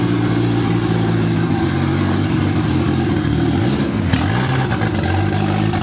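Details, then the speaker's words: Turbo D16Z6 Vitara-build Honda Civic wagon, first start after about two years sitting: loud, uneven, lumpy idle with a brief rev dip. The base map had about zero degrees idle timing, later corrected to about 21–23 degrees. The owner also says the injectors are poor. "for some reason this base map that I downloaded it out like zero degrees in it at timing on idle which doesn't make any sense I gave it like 23 ish degrees 21 like 23 degrees"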